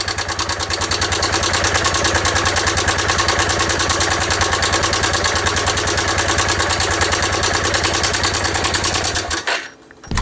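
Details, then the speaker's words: Dion 150 motorcycle, single cylinder, at idle: busy metallic ticking rattle over the engine. Mechanic suspects a damaged camshaft, rocker arms or cam bearings, or oil starvation. Cam chain tensioner rattle. "este ruido se se siente amigos como que fuera digamos el árbol de leva que anda dañado o los balancines o el árbol de leva trae unos valeros que también provocan ese mismo ruido cuando anda dañado"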